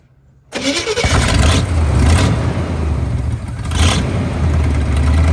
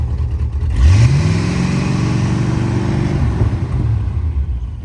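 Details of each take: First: 1974 Chevy C20 V8 after sitting five years in a scrap yard, started on a marine battery: cranks, catches and settles into a lumpy, loping idle with brief stumbles; owner suspects spark plug or wire issues; 30 psi oil pressure, charging. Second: 1974 Chevy C20 V8, revived after five years in a scrap yard: revs up smoothly from idle, holds a strong even rev for two seconds and drops back cleanly; sounds good and healthy.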